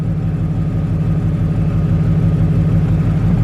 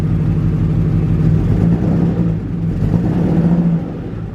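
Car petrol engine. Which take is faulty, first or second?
second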